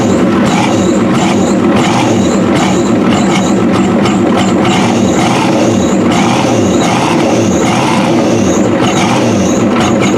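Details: 1993 Ford F-250 7.3L IDI after new injectors, pump suspected out of time, revved hard to start. Uneven, lumpy clatter surging about twice a second with a faint high squeal, blamed on the water pump. Rough running.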